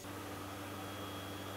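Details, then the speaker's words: New Way 7.25-inch rotor on externally pressurized porous air bearings, driven by an 18,000 rpm motor via VFD, running about 1,200 rpm: quiet smooth hum with faint steady tones, no rubbing or grinding; normal running. "an encoder you can see it's running really smooth it's it's about 1,200 rpms or so right now you can barely hear it running"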